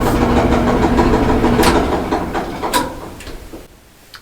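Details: Whirlpool dryer running with a steady hum and loud repeated knocks, about three a second, as the drum turns, caused by worn drum rollers needing replacement.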